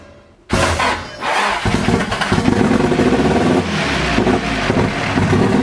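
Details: Nissan SR20DET, first start after standing 1.5 years, briefly revved: catches, then revs unevenly and stumbles. Running rough because the start map and ignition timing are known to be set wrong.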